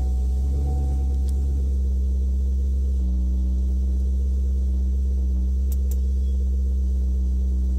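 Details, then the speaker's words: Chevrolet Camaro fitted with electric supercharger, engine running, 27 V supercharger battery: deep, steady low hum at about 800 rpm on the tachometer, even pitch, no misses, knocks or hunting; normal idle. "notice right away that the rpms are reading correctly i've got on my tachometer here i've got looks like about 800 rpm thereabouts"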